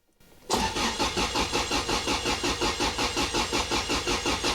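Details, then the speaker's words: Toyota Altezza engine after rebuild, not started in a long time, velocity stacks and filter fitted, injectors disconnected so it cannot run: steady cranking at about three beats a second with no firing, priming oil pressure before first start attempt; normal cranking, no start. "We can crank it, that'll get the oil pump to move, it'll move oil up to the top, and I guess we'll do like 5 or 6 cranks and then try and start the thing, I suppose."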